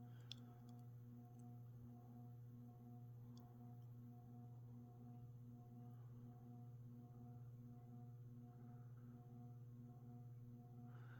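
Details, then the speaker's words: Hampton Bay Grayton II 42-inch ceiling fan on low speed: steady low electrical hum with a faint higher buzz; owner suspects these fans hum due to poor build quality. "so as you can hear pretty noisy for some reason I think all these great twos have a tendency to make an electrical hum to them like this likely poor build quality"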